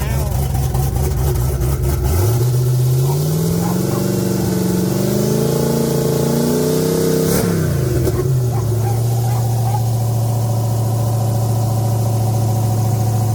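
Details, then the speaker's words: Turbo 5.3 V8 truck, warm after running to temperature: revs cleanly and returns to smooth even idle, no tapping or knocking; earlier noise gone, oil pressure normal, small exhaust leak noted. "It's been running long enough to get up to temp. I don't hear nothing wrong with it now."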